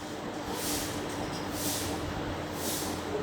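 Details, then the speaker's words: AC/DC ceiling fan running on circuit kit, positive to positive and negative to negative, started by remote: steady whooshing sweep about once a second over an even hum; fan turning smoothly and running normally. "इसको हम remote की मदद से start करते हैं। ये देखें, start हो गया।"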